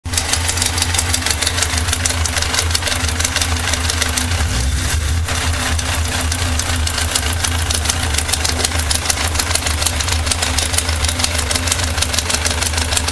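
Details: 1998 Yamaha XJR 1200 motorcycle at idle: steady fast ticking rattle over an even idle; engine noise, cause not identified.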